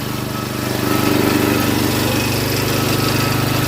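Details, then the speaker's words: Rototiller single-cylinder engine with updraft carb, long unused, running after fuel was drizzled into the spark plug hole: quick even putt-putt, steady firing, no misses or knocks; engine finally running happily. "all right here we go here we go seems like we finally got it happy"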